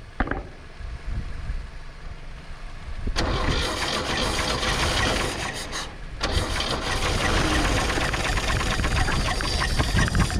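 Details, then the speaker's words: 1962 Chevy Biscayne, 235 Blue Flame inline six, 3-speed manual, sitting in a field since 1969, started with ether: cranks, catches, then heavy rhythmic knock through a rough idle; cause unknown. "oh there we go she's running it's knocking though it's knocking really bad"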